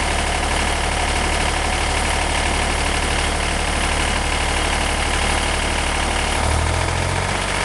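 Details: 1963 Renault N70 tractor three-cylinder diesel idling after three new cylinders fitted in October 2013 and 60 hours of running: steady low chug, even firing, no knocks or misses; normal healthy idle.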